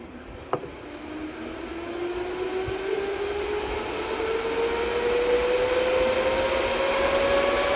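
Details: DB Werx amplifier fan on DROK buck regulator, voltage being turned up from the 8.21 V cutoff: smooth steady whir whose tone climbs evenly, no rattle or rubbing; fan running normally.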